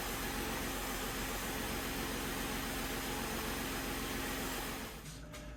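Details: 2011–2019 Ford Explorer after strut mount replacement, engine running, microphone on the strut: only a faint steady hum while steering side to side, with no clunk or creak. The new mount is quiet and normal.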